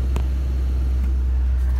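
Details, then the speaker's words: Ford Ranger sitting at 2,000 rpm for nearly a minute with foot off the pedal, only when HVAC is on; steady raised drone far above normal idle; owner suspects throttle position sensor, reading 16.5% throttle, unconfirmed. "and she's at 2,000 rpm she's been sitting there for coming up on a minute now but this only hat this high idle only happens when the HVAC though"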